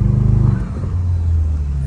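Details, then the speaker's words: Mini Cooper Clubman S turbo, previously abandoned, on its first test drive: low, even engine drone dropping smoothly as revs settle, no knocks or rattles; normal running. "Ah, até que ficou legalzinho esse barulhinho, né? Ficou da hora."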